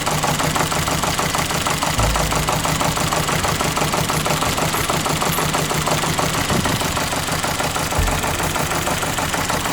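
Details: Ford Fiesta petrol with random misfires, idle showing uneven stumbling pulse about three beats a second with occasional thumps; sniff test negative, burnt valve later found after borescope and compression checks.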